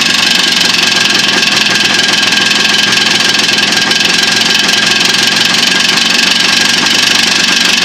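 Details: Jawa two-stroke with new piston kit, new pins and needle bearings, bored cylinders; buzzy idle with uneven tapping underneath, about two raps a second: engine knock, source unknown to owner.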